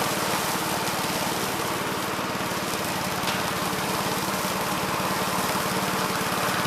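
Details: 1969 Gravely C8 walk-behind tractor after repair of no-high-range fault (drove only in low range, stop-and-go in high); morning start-up, even single-cylinder putter at steady speed, no misses, knocks or hunting; running normally.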